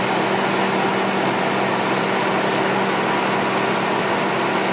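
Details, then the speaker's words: Honda FD with R18 engine after fitting an original serpentine belt tensioner, idling: steady smooth hum, constant low tone, no ticking, squeal or rattle from the belt area. Normal idle. "Wala nang ingay boss ah. Tahimik na ulit yung makina mo ah."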